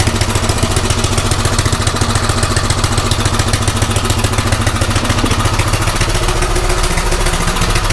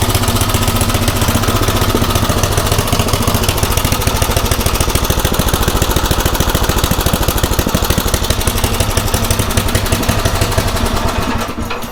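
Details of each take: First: Craftsman rototiller small single-cylinder engine running on a new carburetor after a tune-up: drilled out one size, idle screw turned in about 1.5–1.75 turns, mixture then backed out a half turn; fast, fairly even chugging with some clatter, running much better. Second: Craftsman rototiller single-cylinder after tune-up with a new aftermarket carburetor, idle screw raised, mixture set about 1–1.25 turns in from original; even, steady chug with no surging or misses, then clean shutdown, running much better.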